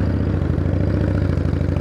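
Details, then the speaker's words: 1979 Harley-Davidson FXS Shovelhead, 70-weight oil in cold weather, riding after clutch fix: lumpy loping big-twin beat, no slipping or grabbing; clutch now takes off from first smoothly instead of acting like it was dumped. "oh yeah so much better yeah this thing like when I would take off from first this thing would act like I was dumping the clutch"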